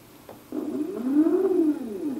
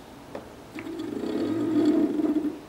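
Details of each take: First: PolargraphSD stepper motor after tuning the Pololu driver's current down to about a quarter by ear: earlier crunchy sound now a clean, smoother hum rising and falling with speed. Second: PolargraphSD machine stepper motor on a Pololu driver board with current set too high (about half power): gritty, crunchy purring buzz instead of smooth hum, reverberating off the desk; fixed by turning current down by ear.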